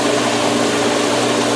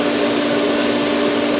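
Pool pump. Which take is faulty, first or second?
second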